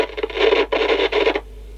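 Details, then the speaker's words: 1960s–90s CB radio from a marine environment: harsh scratchy rasping bursts cutting in and out, then quiet, as the squelch is adjusted; owner suspects a bad squelch control. "squir controls bad or something yeah I think it might"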